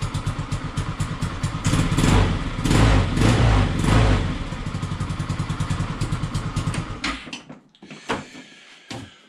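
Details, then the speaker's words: Peugeot Django 125 single-cylinder scooter after carburettor replacement for hard starting and poor running: even putter about four beats a second after starting, then tails off; runs cleanly, spot on. "it took a little while um but uh yeah and you know it started and it's running nicely so if we try again yeah absolutely spot on"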